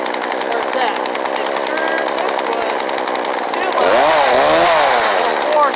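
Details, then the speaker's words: Poulan Pro PPB4218 chainsaw during carb tuning after filter mods: held at full throttle with a rapid buzz, then the note breaks up and burbles (four-stroking) as the high-speed mixture goes too rich, which should be avoided. "Alright. Now, we don't want this baby four-stroke."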